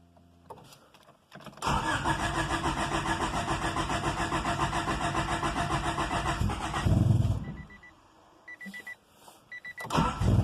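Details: 1995 Honda Civic EG coupe cold start: several seconds of cranking with rough, uneven firing before it barely catches and stumbles; happens daily when cold, fine once warm, cause not found. Hard cold start, long cranking.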